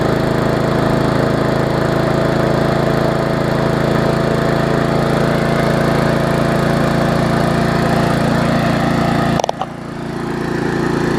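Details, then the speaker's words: Murray 3.5 hp Classic push mower, after the wrong ignition coil was replaced and water was cleaned from the fuel, cold start. It catches and runs a steady, even beat of about four per second, then cuts off cleanly. Healthy and ready to roll. "She's ready to roll."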